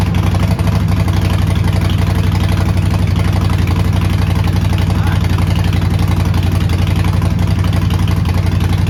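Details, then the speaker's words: Neglected 2008 Harley-Davidson Sportster, long sitting, first start: lumpy even V-twin idle at about four pulses a second, deep exhaust note, no tapping; fired up with no smoke and no check engine light, a little black smoke when revved. "Okay, that is a massive win. I will take that any day. So, great news on the startup. It fired up. I saw no smoke. I saw no check engine light."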